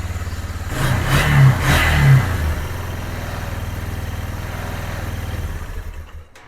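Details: 2001 Yamaha Bear Tracker 250 ATV, long-sitting, first start after no-spark fix (bad stator pickup coil replaced) and cleaned carburetor; two quick throttle blips then even single-cylinder idle, runs healthy; fuel leaking, likely at petcock seal.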